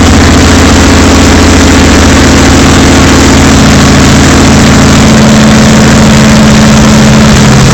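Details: Chevy 454 V8 in an Argosy motorhome, second start after rebuild: very loud raw open-pipe rumble with heavy low pulse at fast idle, because no exhaust system is fitted; too loud for the phone.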